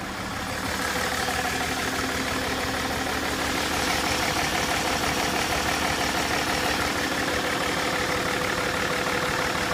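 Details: BMW 530d E39 diesel at idle after a 40 km drive at 90–130 km/h with hard accelerations. Harsh, uneven idle with a metallic rattle over a lumpy beat; shaking follows engine speed below 2000 rpm. Cause unclear.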